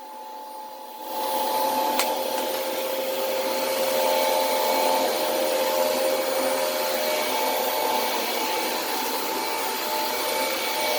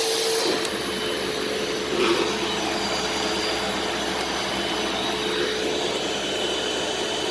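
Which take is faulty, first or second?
first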